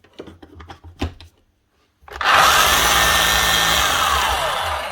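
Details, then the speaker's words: Makita HR3540C corded rotary hammer running: harsh gritty whirr with a sliding tone; motor fine, rough bearings or gears; brush warning light flashing for worn brushes. "Yeesh. Right, it's not a motor, but it's either bearings or gears. That sounds fairly rough."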